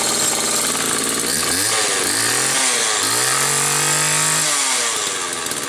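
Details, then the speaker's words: Homelite XL-2 chainsaw, test run just after repair finished: revs up and drops back cleanly several times, pitch following throttle smoothly, no stumbling or misfire. Normal, healthy running. "Just finished these up yesterday, so let's do a couple quick test runs."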